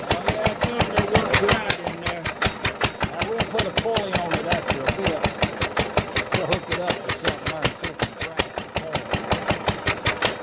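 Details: 1946 International LBBR McCormick-Deering 3-5 hp hopper-cooled single-cylinder engine off a hay press, with its existing muffler: sharp, barking exhaust cracks about 160 a minute, fairly even, with a rasping edge; harsh exhaust note.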